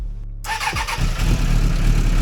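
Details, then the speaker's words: 1996 Suzuki Bandit GSF600S four-cylinder after carb rework, idle set near 1,200 rpm, starter button only with no choke: a brief crank, then it catches at once into an even idle; an easy start, much better than before. "Okay. That started way easier though."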